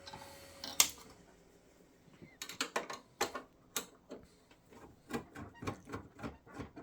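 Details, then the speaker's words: Hard drive in an IBM/Cyrix Socket 7 Windows 98 build, not auto-detected in BIOS even when turned upside down: faint, dry ticks in uneven bursts with no steady spin, the heads trying to seek. The drive is dead, or half dead. "want let's try the old turn it upside down trick try again these are the um heads in this trying to seek and we're not getting anything in the auto detection here"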